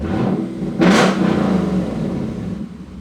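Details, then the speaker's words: 2017 Lexus GS F V8 with a Meisterschaft exhaust, after swapping a faulty sensor and clearing a sensor-circuit code: a deep idle and throttle blip with no rattle, buzz or hiss. "No rattle, no buzzing, no hissing, none of that. Problem solved, sounds like."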